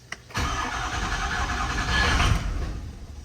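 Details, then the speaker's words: 2005 Ford F350 6.0 diesel after oil cooler replacement, coolant flush, fuel filter change and fuel priming, with the cooler well prefilled with oil: short crank, then it fires quickly into a steady, even idle. Healthy start; oil pressure came up. "now I'm going to go to try to crank it and it ought to crank pretty easy and that's why you fill that uh well up with oil before you put the O killer in"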